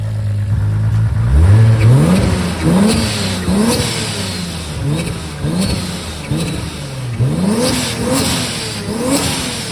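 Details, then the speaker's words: Toyota Supra with big turbo, true 4-inch exhaust, first start: deep idle with quick throttle blips rising and falling cleanly, light turbo whistle on top; healthy and responsive, small oil leak at oil cooler sandwich plate noted. "so as you can hear the exhaust sounds so good that exhaust that I fabbed up there the true 4 in all the way back you can hear a little bit of the whistle of the turbo at the back of the exhaust"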